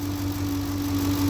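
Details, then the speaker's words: 2007 Ford Expedition 5.4 V8 at idle; a steady grinding whine from the alternator bearing, with the battery light coming on even after a new battery; alternator needs replacing. "That grinding, whining sound is coming from the alternator. So I got to replace the alternato"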